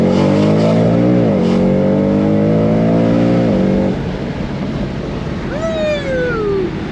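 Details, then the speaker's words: Supercharged BMW E92 M3 with AKG polyurethane engine and transmission mounts, full-throttle pull through the gears: a strong, clean rising note with crisp upshifts. It runs and sounds good. "she's running good sounding good maybe we'll get one"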